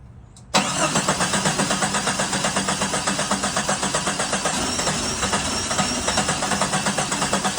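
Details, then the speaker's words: 1987 Jeep Comanche MJ project, cranked on a replacement cheap starter after original starter failed: spins about four even pulses a second, no weak beats; engine not locked up, compression sounds good, oil looks good, normal cranking. "quick so as you guys heard she turns over relatively well engine isn't locked up"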